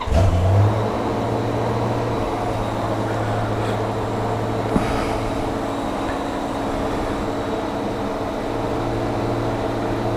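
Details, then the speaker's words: Honda GL1500 Goldwing after a carburetor rebuild, cold start at about 52°F with full choke: steady, even low hum with no misses or knocks, idling slightly high on choke, which is normal; healthy cold idle. "Like it's idling a little bit high with the choke, which is normal. Sounding really good."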